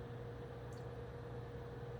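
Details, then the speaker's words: New MSI MAG CoreLiquid 240R AIO cooler on a Ryzen 9 3900X with the radiator mounted vertically: quiet hum with a thin whine that comes and goes, the pump whining; noisier than expected, possibly air in the pump. "so there's like two there's hear that wine kind of comes and goes"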